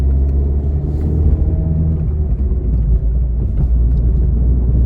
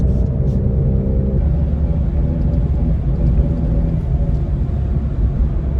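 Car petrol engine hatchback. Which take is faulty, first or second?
second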